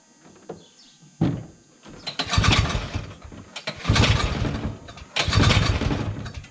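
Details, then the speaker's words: 1971 Massey Ferguson Ski Whiz 300s snowmobile, JLO single-cylinder, sat 20+ years in a shed, old fuel removed, choked, key on: fires in three short bursts after each pull, revving a second or two then dying; owner says not enough fuel, diaphragms and pump may be dry. "There's still not enough fuel. Not enough fuel."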